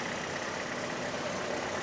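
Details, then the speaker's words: GM 1.4L turbo (Cruze/Trax/Sonic/Encore) after a broken plastic water outlet was replaced with an aluminum one: a thin, wavering high squeal over the running engine each time the A/C kicks in, from a belt wet with leaked coolant. "There's coolant on the belt and everything over here. And so, every time uh the air conditioner kicks in, it's making that sound."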